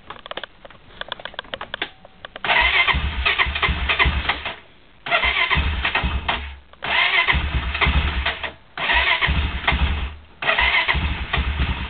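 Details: Cold start attempt on a Honda quad: repeated cranking bursts with brief stuttering catches, dying away between attempts; cranks but won't start, it almost started this time.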